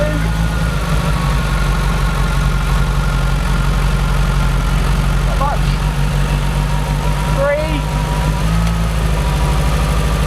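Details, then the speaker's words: Renault Clio idling while each injector is unplugged in turn to find the faulty one. Engine idles with an uneven, lumpy beat and low drumming, one cylinder misfiring, apparently from an over-fuelling injector. "we're going to run the car and we're going to unplug each of these injectors as we go the idea being that if one of them is not behaving correctly then it will make the the engine chug a lot"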